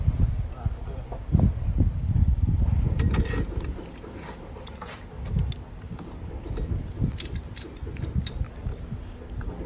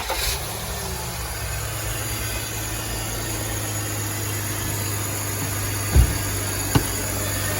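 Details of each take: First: 2005 BMW X5 A/C compressor, removed from the car, pulley spun by hand with the mic held close: a low rough rumbling whir with faint clicks as it coasts, from worn compressor pulley bearings. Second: 2005 BMW X5 after replacing A/C compressor clutch bearing and recharging A/C: steady low petrol idle, smooth, no grinding or whirring from compressor bearing; normal idle after repair.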